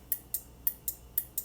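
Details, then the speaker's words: Relay from an overheating 2013 Honda CR-V AWD, bench tested on a 12 V battery: crisp clicks as it energizes, with continuity across pins 30/87, so the relay is good. "that relay is clicking so now if I can attempt to do this with one hand"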